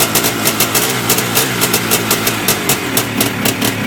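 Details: Yamaha IT490 two-stroke at first start after engine installation, with a temporary silencer stuck on. Crisp, regular popping about five times a second with no rattle or misfire: a healthy idle.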